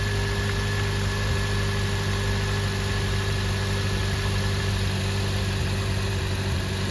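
Even, steady idle with a constant low drone and a faint whine above it, no skips or lopes; the engine runs smoothly.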